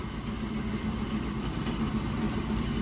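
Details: Combine unloading auger running with a steady low drone and even churning, no grinding or clanging; it had ground and clanged when nearly empty and the PTO struggled, but after the auger was unfolded and refolded it ran normally.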